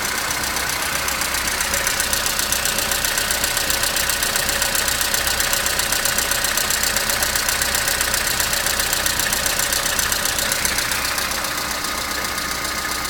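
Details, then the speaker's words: Opel Astra G 1.4 16-valve on a morning cold start: idle with a fast, even metallic rattle, about four beats per second, seemingly from the back; it runs more or less but rattles again, which is new, source not yet found. "Вроде работает более-менее, но все равно тарахтит. Раньше такого не было."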